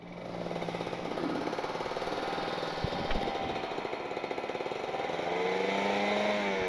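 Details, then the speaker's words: Kawasaki Ninja RR two-stroke, PWK28 carburetor, pilot jet 42, main jet 132, R9 exhaust, rich setup meant for top-end: lumpy, uneven popping burble at low revs with light throttle blips; rich mixture at low rpm, weak bottom end. "tapi setingan basah ini memang diperuntukkan buat Hai top speed ya main RPM atas klo RPM bawah ya jadinya kurang jengat sih"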